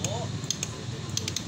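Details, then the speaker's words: Honda XR150 motorcycle with no push start: pressing start gives sharp, uneven relay clicks, about seven in two seconds, with no cranking whir. The starter relay clicks but the starter motor doesn't turn; the fix is a carbon brush replaced with a TMX Supremo part. "Ayan mga kadiyas, kung naririnig nyo, nakiklik lang yung kanyang starter relay at yung kanyang starter motor hindi umikot."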